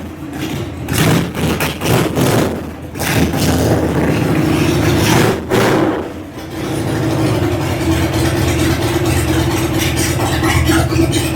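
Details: 2000 Harley-Davidson Sportster 1200 Evo, carbureted, revived after sitting 10 years with cleaned tank and reinstalled carb, before its first ride: V-twin fires up, takes a few sharp revs, then settles into a steady loping idle with no knocks; normal idle.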